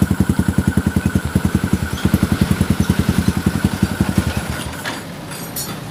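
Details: Yamaha Xabre fuel-injected motorcycle: uneven stumbling idle pulses two or three a second that falter and die, stalling on slight throttle; lean, AFR over 16:1, from dirty injector, fuel pump filter and throttle body plus broken O2 sensor wiring.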